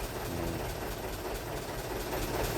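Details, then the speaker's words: Vehicle that starts hard in the morning after sitting overnight, restarted immediately while warm: catches at once into a steady, even idle with no dragging crank; owner concludes a failing battery cell, not the starter motor. "langsung bisa ya. Sebentar lagi tuh normal, berarti malah kerusakan pada akinya."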